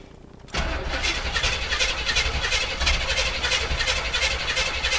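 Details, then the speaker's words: 1981 Chevy Blazer, 350 V8 with mild cam, cold start: catches instantly and settles into a slightly lumpy, even idle with no knocks or ticks; runs decent, normal cold start and idle. "Basic 350, mild cam, runs pretty decent."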